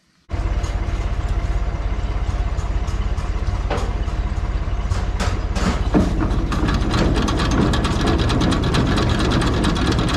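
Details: Tractor driving a New Holland 489 haybine after a bearing replacement: starts and settles into a steady run, the cutter clattering evenly at a regular rate with no grinding or bearing squeal; the repair worked.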